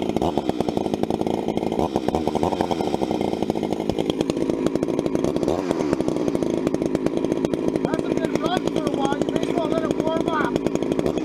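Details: Vintage 266 chainsaw, recently started after sitting a while, bucking firewood: steady high revs as it bites into the wood, no bogging or surging; cutting cleanly, normal operation under load.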